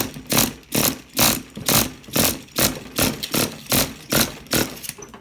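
Small engine buzzing in regular bursts about twice a second as the throttle is blipped, catching and running cleanly without sputtering.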